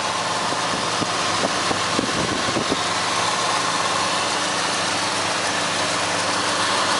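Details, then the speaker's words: 1970 Ford Torino V8, single-owner and well maintained: steady, even idle with no misfiring or stuttering, rhythm holding smooth throughout; healthy engine. "you can hear the engine it sounds really good no misfiring no stuttering or anything like that it's a pretty smooth running engine"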